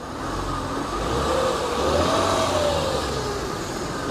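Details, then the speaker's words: Mercedes W211 E350 with M272 V6, about 50k miles, revving: note rises smoothly and falls back evenly with little vibration, no knocks or rattles; healthy engine, balance shaft concern noted for this engine type. "And as you can see, there's no vibration from the engine even when I accelerate."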